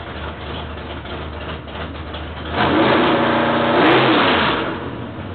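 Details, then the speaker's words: Rebuilt L88 427 Chevy big-block V8 with hydraulic roller cam, headers open, before install in Chevy II: loud open-pipe idle snapping cleanly to strong rev and dropping back smoothly, even firing; sounds like 35-40 years ago, normal revving. "okay there you have it it sounds just like it did 35 40 years ago"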